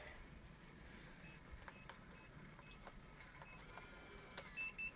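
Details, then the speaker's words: Latch.It metal RV/camper door latch and deadbolt operated by key fob from outside: quiet background, then a short motor whirr and clean confirmation beeps as the deadbolt locks; normal lock operation. "Press and lock, you hear that beep, and it's confirmed that it's locked if you have the sound turned on."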